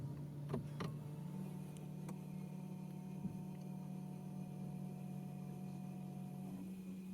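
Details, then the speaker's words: BMW i3 with drivetrain error after fitting a new water pump, switched on: low steady hum comes in after a second and holds even; coolant pump starting up and running normally. "so you can hear that pump running outside if you remember correctly it's normal for the pump to start up"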